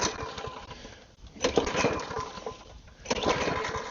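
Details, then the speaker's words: Lawn mower reported leaking fuel, run without primer bulb on little fresh fuel; runs unevenly, dropping and picking up about every 1.5 seconds, possibly fuel-starved: unstable running, surging. "Alright, so now it is running, but I don't know if it'll continue running on just the fuel itself."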